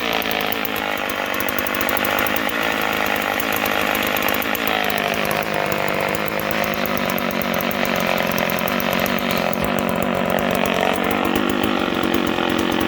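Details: Homelite 150 two-stroke chainsaw buzz keeps dropping and climbing in pitch on its own, speed hunting as the clutch grabs and lets go; surging, owner suspects worn brass thrust bearings/sleeves, not confirmed.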